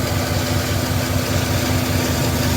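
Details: 5.3 V8 after Rislone oil treatment: smooth, even idle with a steady low rumble; the previous lifter tick is gone.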